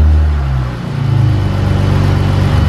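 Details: 2015 Chrysler 200 3.6L with a new 80mm ported throttle body replacing the stock 74mm, plus cold air intake and modified catback exhaust, in the garage: cranks, catches cleanly, settles into a steady, even low rumble with a slight rev bump; normal start and idle.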